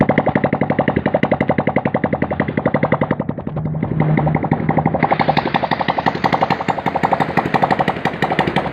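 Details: Honda Supra Fit New small motorcycle engine after service with cam chain tensioner refitted and pre-filled with oil; idles with even steady pulse, no cam chain ticking; normal idle.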